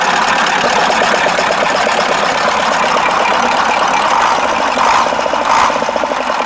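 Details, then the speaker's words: KAMAZ 65225 Euro-2 diesel truck after an engine-knock repair: loud, even idle clatter with no separate knock; owner says it runs normally and the knock is gone. "и путник а нормально работает вот три раза газовыми уже даже чтобы заглушить"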